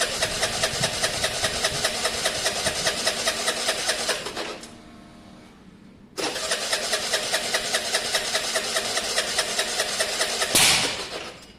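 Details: Scooter from a Honda SH125 / Vespa project, on the electric starter, ran poorly last week: steady churning bursts about 2.5 pulses a second that never catch; cranks but won't start. Owner suspects air in there, the engine backing up, or a miswired stator.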